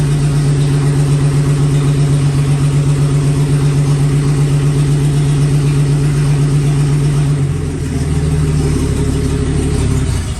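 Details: 1954 Fargo half-ton flathead six idling on first startup after piston ring install and valve adjustment: deep, even idle with regular firing, then settles lower and keeps running smoothly, healthy. Owner suspects carb float height or a leaking float caused overflow.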